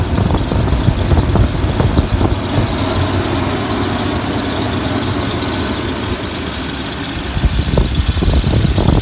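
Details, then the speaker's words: 2000/2001 Toyota Tundra Limited, one owner, 241,787 miles, with timing belt done and some coils replaced; it fires right up into a smooth, even V8 idle with no knocks or ticks. "Holy cow, thing runs good. I mean, fires right up and runs like a champ."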